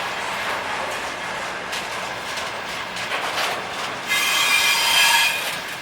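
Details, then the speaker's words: Electric locomotive-hauled freight train passing: wagons rumble and clatter, then a thin high screech rises for a second or two from one wheelset; wheel squealing and knocking. "Сейчас скрипит и долбит."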